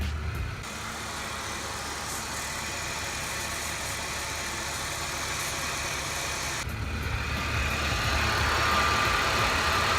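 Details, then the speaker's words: 2003 Mercedes C32 AMG at idle: an even, steady low drone with no squeal, rattle or knock. An earlier noise is gone, possibly a fresh-start thing or the belt hitting something. Normal idle. "Yeah, I don't hear a noise. So maybe it was just kind of like a fresh start thing."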